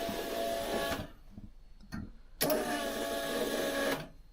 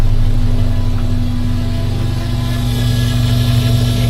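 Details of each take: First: 1982 VW Westfalia with a Subaru engine swap, fuel pump running on test before starting: the electric pump hums steadily in two runs of one to two seconds, building pressure with an even, healthy whir. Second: 1982 VW Westfalia petrol engine, rough lumpy idle with steady low hum; owner suspects the fuel pump is making the humming and may replace it.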